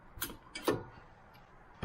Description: When you plly the brake in low speed and with regen brake, you can hear the clicking sound. The reason is too thin grease in the outer CV joint.